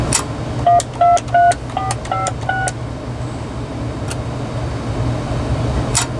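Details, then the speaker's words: RadioShack 2554-style corded wall phone (category 43-842) on speakerphone, in tone mode: a quick run of clean two-tone dial beeps, about seven digits in even succession. Redial works correctly despite the keypad sensitivity issue on keys 3, 6 and 1. "Redial seems to work. Let's go over to pulse."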